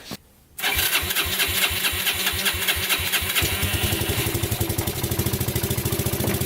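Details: Abandoned Yamaha Breeze ATV, newly revived, cold day test drive: catches after short crank and settles into even, steady firing beat that picks up cleanly; runs and drives, forward, neutral and reverse work.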